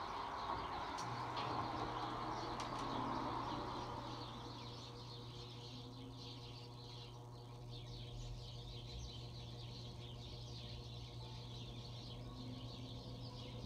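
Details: Bronson Exhauster fan (International Oil Burner Co, Universal Electric motor, probably 1960s) on low after oiling the front bearing and oil ports, about 31°F cold: a steady low hum, getting going better than before but still sluggish.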